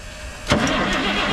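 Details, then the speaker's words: 1987 Ford L8000 turbo diesel semi truck, parked 16 years, first crank attempt: starter spins the engine at an even, steady cranking speed with no stalls or drag; nice consistent crank, starter healthy. "Wow. Okay, dude. That sounds good. Nice. Nice consistent crank, huh?"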